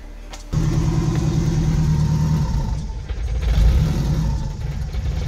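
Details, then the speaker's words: E85 car with 4-inch throttle body on Tuner Studio standalone ECU, chilly cold start without throttle: catches fine, then idles roughly and sags near three seconds before recovering; priming and cranking pulse seem fine, after-start or warm-up enrichment map off. "so it sounded like to me that the car was starting all right when I turned the key so the prom impulse was probably okay cranking pulse is probably okay but a little bit further down the line as we stack those books on top of each other and the average all out in the one book one of those books was off"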